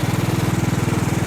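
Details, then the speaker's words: Riding mower deck while mowing: deep throbbing growl pulsing about a dozen times a second over the engine; wobbling spindle, greasing didn't help, bearings trashed, owner fears cracking the spindle; failing deck spindle bearing. "i was just talking about how growly the bearings were too let's keep throwing grease at them i just stopped to put a little bit of grease in it but it ain't helping it is like trashed"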